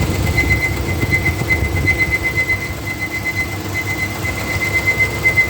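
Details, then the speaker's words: 2013 Nissan Micra Active, 49,700 km, engine heated up: thin high wavering whistle over the fan's rush, kicks in at higher fan rpm and stops on its own; owner suspects the radiator fan motor bearing needs changing. "automatically the sound goes off so this is i guess when the uh the fan is running at a higher rpm is when the sound kicks in so i guess the bearing has to be changed"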